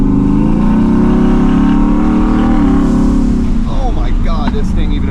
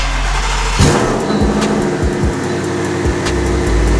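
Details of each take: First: Twin-turbo Shelby F-150 after custom exhaust with muffler installed: muted exhaust tone climbs under throttle, then fluttering whoosh on lift-off as blow-off valves vent, louder than the now-quiet exhaust. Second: Twin-turbo Shelby F-150 street drag truck before muffler install, straight pipe: harsh blaring exhaust roar with sharp rev blips and crackle over deep rumble; far too loud.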